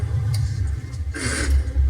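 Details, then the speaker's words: Semi-truck manual transmission shifted out of first by forcing the lever over to fourth instead of letting the spring center it: steady diesel drone, then a harsh metallic grind of about a third of a second as the gears clash. "And then that's what you're gonna get right there, is that grind."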